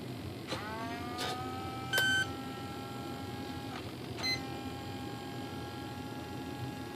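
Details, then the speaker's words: Arcus M RC retractable motor system finding its home position: short beeps, then the retract motor whines up, stops and restarts irregularly. The sequencer is cycling erratically, and an intermittent connection at a squeezed connector is suspected. "that's unacceptable behavior that's a good way to ruin servos that are buried in the side of your plane"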